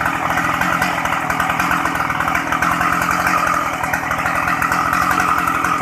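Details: Shindaiwa 757 two-stroke chainsaw, used, easy starting, oil pump working; even, crisp two-stroke buzz holding steady revs with no misses or rattles; normal running.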